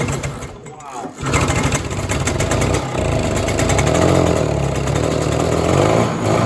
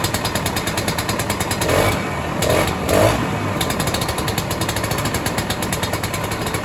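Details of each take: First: 1967 Ski-Doo Alpine twin-track snowmobile, sat many years, running on its own fuel line before carb cleaning: two-stroke burbles unevenly, loading up and stumbling instead of running crisp; rich, flooding carburetor, owner suspects debris in the needle and seat. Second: 1967 Ski-Doo Alpine twin-track snowmobile, two-stroke, sat many years, now on its own fuel, about 75°F: rapid, even popping idle with one brief louder surge; holds steady idle, barely needs choke, running much better.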